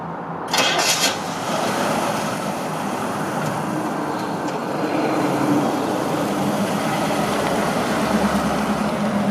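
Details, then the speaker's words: Original 1967 Chevrolet Camaro RS/SS survivor, numbers matching, 64,130 original miles: starter whirr, then the V8 catches and settles into a steady, even run with faint traffic behind; a healthy start and run. "You'll hear it start, hear it run."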